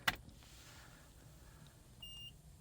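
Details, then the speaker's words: 1997 Evinrude 150 HP V6 two-stroke outboard, sitting over 20 years, battery just connected: single short high beep then brief tone at key-on, the normal ignition self-test cycle. "There's a beep. Goes through its startup cycle."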